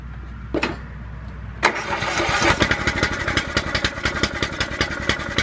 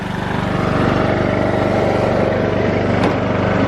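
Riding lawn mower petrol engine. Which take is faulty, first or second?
first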